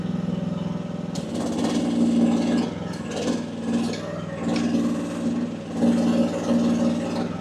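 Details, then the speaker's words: AGT WH12R 1-ton mini excavator diesel, relief turned down from 2700 to 1900 PSI, digging; steady note swelling slightly under each dig without lugging, two movements at once without dying, slightly less power but definitely smoother. "But I got to tell you, it is smoother. It It's definitely smoother."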